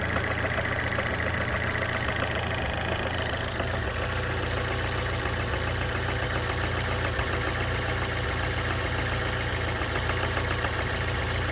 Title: Fiat punto mk1 cabrio S 1996 engine knocking noise